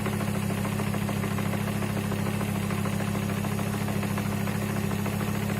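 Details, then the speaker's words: First start of car after front and driveline removal and reassembly, cold: even idle with steady fast rattle about twice per second from flywheel/gearbox; expected to get louder as gearbox oil warms and thins. "it warms up in the gearbox oil gets runny that'll get louder that's the noise everyone's talking about"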